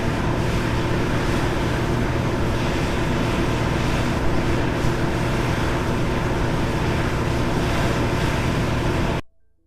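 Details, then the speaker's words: Cummins Power Connect residential standby generator with Level 2 sound kit at 100% load, recorded by 8 microphones at 7 m in 45° steps: steady even low drone, no knocks or surges; averaged 4 dB quieter than competitor. "The Power Connect model with the Level 2 sound kit averaged 4 decibels quieter than the competitor at full load operation."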